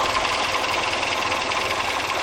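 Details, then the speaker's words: Restored 1961 Triumph TR4 with about 15,000 miles since restoration, idling during a radiator flush with the drains open and water running through; steady, even tick-over with light regular ticking and water splashing, running clean. Normal idle. "this is motor just ticking over it seems to be running pretty clean now"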